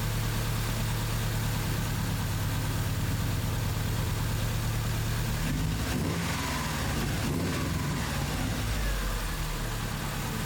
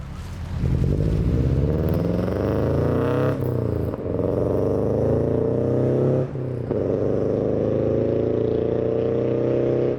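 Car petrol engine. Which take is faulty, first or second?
second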